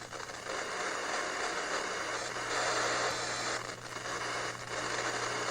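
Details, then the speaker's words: RCA RP-3740A CD clock radio, thrift-store unit, radio switched on: constant crackly hiss and scraping static with brief dropouts instead of clean sound; buttons seem dirty but owner thinks more is wrong, only one channel working at first. "We will not turn on the radio. Oh, here we go. I think it's more than just the buttons that are dirty."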